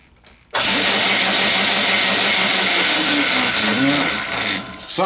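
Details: Atlas 10F lathe change-gear train running after cleaning, lubrication and reassembly: a dense, steady high-pitched gear clatter and whir, suggesting the gear mesh may be a little too tight.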